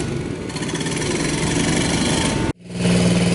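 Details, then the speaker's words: 2003 Kawasaki KLX110 fresh engine rebuild, choked, on reserve fuel, timing chain cover off, idle set high: small single buzzes steadily and evenly, dips briefly, settles into clean steady idle, no knocks or misses; running better than before. "her roar guys listen to her go that's a fresh rebuild"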